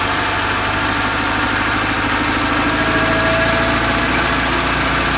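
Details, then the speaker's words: FSC Żuk Polish van, petrol engine with petrol in the oil just fired up after priming the pump, out of gear with choke pulled: steady rapid idle pulse with low rumble, settling into fast cold idle on choke. "I just put it out of gear like that choke is pulled that's this one there we go"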